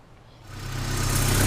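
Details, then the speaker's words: 30-year-old Porsche 944 Turbo after repair: a loose camshaft gear had caused a diesel-like clanking; with the bolt reinstalled it idles evenly with a smooth low rumble and no knock, running good. "the bolt installed and no longer sounds like a diesel car seems to be running good"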